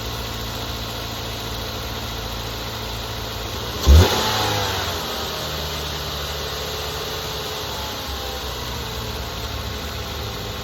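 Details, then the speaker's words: 2008 Mazda 3 2.3 DOHC 16-valve petrol engine after replacing coil packs and spark plugs for a cylinder three misfire (car had sat a long time): starts with a quick rev flare, then settles into a steady, even, quiet idle with no stumble. "seems to be nice and quiet now."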